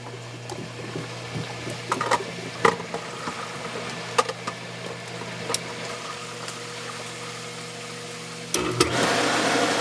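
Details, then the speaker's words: Hot tub circulation pump after bleeding air by loosening a nut: smooth constant low hum under gurgling flowing water with air being pushed through, no rattle or cavitation; pump now primed and circulating normally. "you hear all that air in there now she's moving some"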